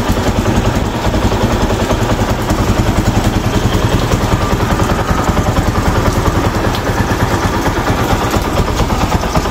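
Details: Rouser 135 motorcycle after repair of its smoking problem, no airbox fitted: the single cylinder putters at an even, quiet idle with no ticking or misfire. The beat stays steady, the smoke is gone and the engine is healthy.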